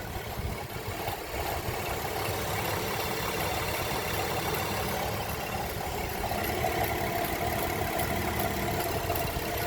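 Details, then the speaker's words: 2010 Chevrolet Traverse first start after timing chain replacement, spark plugs, valve cover gaskets and torque mount: uneven, lumpy, bouncing idle with stumbling beat, misfiring badly, no check engine light; cause not confirmed. "She's idling like poop. Let me turn off this AC. Forgot how idle's bouncing around."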